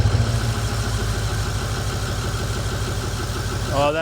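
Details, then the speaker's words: 2008 Ford E350 diesel with a rebuilt engine, first start on a battery charger: rhythmic cranking thumps end as it fires and rises in pitch. It runs with oil pressure; IPR is slightly high, likely from air in the system. "a thing of beauty right there. We got oil pressure. Battery is running."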